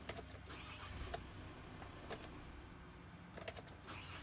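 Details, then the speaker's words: 2013 VW Amarok automatic, stuck in Park, with no diagnostic communication: the starter clicks irregularly over a low rumble and never cranks, as if the battery voltage were low. Low voltage is suspected, not confirmed, and a jump lead was then used. "it was clicking and it was not cranking over like it had low voltage you could hear it crackling and everything like that"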